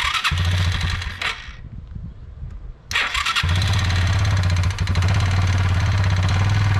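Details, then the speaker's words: Kawasaki Bayou 220 ATV after wiring repair, fuel line clamp leaking: engine catches, cuts out briefly, then restarts and settles into a steady, even low idle with no misses or knocks; starts and idles fine. "Testing good, it starts, it runs, it'll sit there and idle, so that's a good sign."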